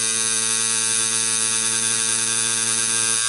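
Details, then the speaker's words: Coil tattoo machine set to lower power buzzing steadily, bogging and sagging slightly as a larger needle drags against skin resistance while lining, helping keep depth constant but giving rougher lines. "here I'm getting the resistance of the skin, and you can hear my machine bogging. And it's allowing me to keep the depth quite constant."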